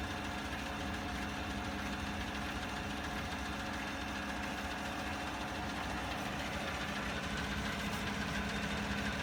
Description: Ticking sound coming from the engine compartment on a 2016 Silverado with 40,000 miles. Brought to the dealership and to come find out it was the vacuum pump that was going out.